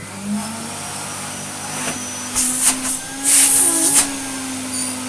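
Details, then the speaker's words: Retro Vax 5140 Ultra Rapide 3-in-1 carpet cleaner with brand new bag and filters: steady clean motor whine with brief air-rush bursts; suction working well as it should. "that works really really well as it should be with a brand new bag and brand new filters"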